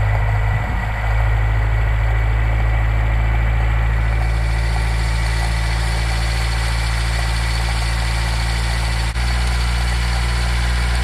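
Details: Nissan K10 Micra started cold just after its auto choke was adjusted and the choke flap spring reset. Steady, even low hum with a raised fast idle on choke, no knocks or misses.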